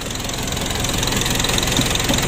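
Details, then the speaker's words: Engine with a possibly remapped ECU, at idle: fast, crisp metallic ticking over a steady idle, which the mechanic likens to a loose valve; suspected, not confirmed, and liner no. 3 was noted as imprecise. "masaknya sangat kedengaran sekali suaranya seperti klep longgar"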